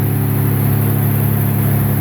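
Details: 1988 Ford Ranger 2.9 after replacing the MAP sensor to fix years of rough, surging idle: steady, even idle with constant pitch and no surging or stumbling, now idling smoothly.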